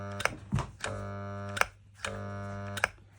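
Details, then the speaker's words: Kärcher K520 pressure washer that won't start: switch clicks, then a steady buzzing hum with no spin-up, twice; the motor only runs if the impeller is spun by hand, due to a swollen start capacitor that lost capacitance and needs replacing. "Вздутый конденсатор. Следовательно, он утратил свою емкость и не может обеспечить запуск двигателя."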